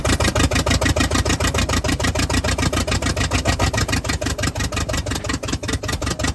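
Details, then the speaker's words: "Party Barge" truck's V8 idling, 60 lb oil pressure: loud, choppy, lumpy big-cam-like idle with strong even pulses, sounding healthy; normal idle. "But she's doing good. Really, really, really good. That'll run, and it sounds freaking beast."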